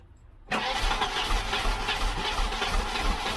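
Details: Volvo 745 wagon, B230F engine, sitting unrun, after the tank was cleaned and a fuel sender fitted: the starter churns steadily for three seconds with no firing or pickup, cranks but won't start. The fuel pump fuses turned out to be missing.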